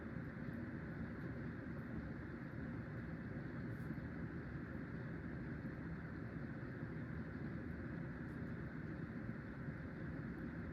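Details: Hunter (CEI) Low Profile V ceiling fan from 2003 after replacing worn bearings and zip ties: soft, steady hum and airflow at even pitch, much quieter, slight wobble, still slower than its siblings; bearings running quiet and smooth.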